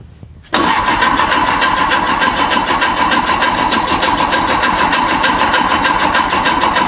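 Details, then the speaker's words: A freshly built VW/Porsche Type 4 flat-four on a test stand at first fire: steady starter churning at about three compressions a second with no catch. Cranks but won't start; cause: no power to the ignition coil. "What was our problem? We don't have any power going to the coil."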